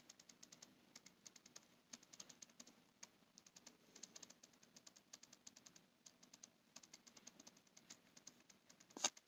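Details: Canon EF-M 28mm f/3.5 Macro IS STM lens, bought new, on an EOS M100 in regular mode with continuous autofocus on: rapid, irregular, dry clicks several per second; it is nearly silent with continuous AF off; whether this is a defect is unknown.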